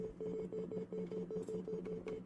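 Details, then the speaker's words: PC freezing and crashing due to suspected GPU driver issue: low buzzy audio tone stuttering on and off about four times a second, sound stuck in a loop during the crash; cause suspected, not confirmed. "I don't know with the audio, maybe after when the PC started freezing, started crashing, the audio started like beeping. There was a beeping sound. Now it's doing this crap, like a beeping sound."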